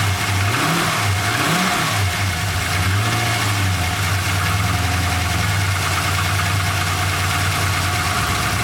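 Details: 1999 Holden R8 Clubsport, Gen III LS1 V8, second run after a cam swap with oil topped up: engine speed wavers up and down before settling into a lumpy idle; won't hold idle, no warning lights, cause not yet worked out.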